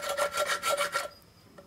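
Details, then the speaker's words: Hand-spun water pump off a Polaris XLT 600 two-stroke snowmobile engine in a mini Baja Bug: dry, gritty, crunchy rasp with slight play, unlike the silent new pump; worn bearing, suspected link to overheating. "This one. Yeah, a little bit of play, and Yeah, sounds a bit crunchy."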